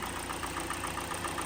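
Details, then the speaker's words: 2017 Hyundai Elantra 2.0 after swap to low-mileage engine, oil level still to be checked on level ground, AC on high; steady even idle, light quick injector ticking, no stumbles; idling smoothly, sounds very good. "we just got to make sure that it has what it requires but it sounds very good"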